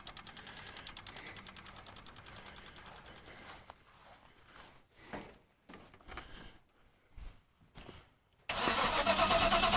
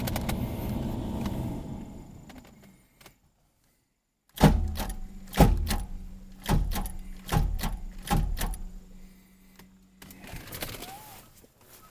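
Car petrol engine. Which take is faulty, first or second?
second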